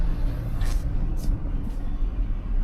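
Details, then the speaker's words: 2003 Chevy Silverado 1500 with 46k original miles: a normal, low, steady V8 idle with an even rumble and no ticking or belt squeal. "all right, motor sounds good. You guys don't hear any ticking, any belt squeal or anything like that, as expected."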